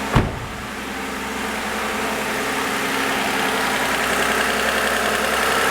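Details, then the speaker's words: 2014 Toyota Avalon, 2GR-FE V6 at 11,000 miles, condemned by two shops after an overheating event, after refilling coolant, fixing a hose clamp and new spark plugs: catches after a quick crank into a smooth, even idle with no stumble; engine healthy. "Again, that is the sound of a perfectly healthy 11,000 mile bulletproof 2G RFE. Runs fine. There's nothing wrong with this engine."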